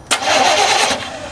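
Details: 1990 Chevy truck with 350 petrol engine, diesel put in the tank, tank drained and refilled with gas: a sharp catch at the key, then a rough whirr that fades without a steady run; cranking no-start from diesel in the fuel system.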